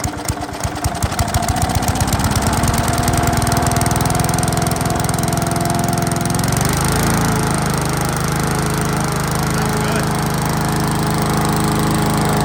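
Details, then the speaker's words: Toro Recycler mower that had a stuck pull cord from a grass clog under the deck, majorly flooded from lying on its side with oil and gas in the air filter, air filter removed; fires with uneven chugs, then a steady even single-cylinder run, normal running. "So, this thing was majorly flooded and um I already primed it. Um majorly flooded from being on its side."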